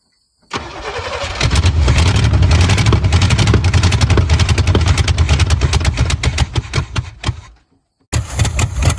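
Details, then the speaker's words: 1970 Chevy Chevelle sitting since 1995, cranking with new fuel filter and fuel from a gas can: steady fast cranking about four turns a second, never fires; no fuel getting to carburetor, cause not yet found. "It's not getting gas at all."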